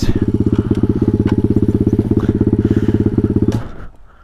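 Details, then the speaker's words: Taotao DB17 125 pit bike ridden on a rough path: fast, even thumping rattle that dies away, first thought to be a stick caught; no stick found in the chain or spokes, the rear suspension was found loose. "hi okay literally sounds like a stick stuck light"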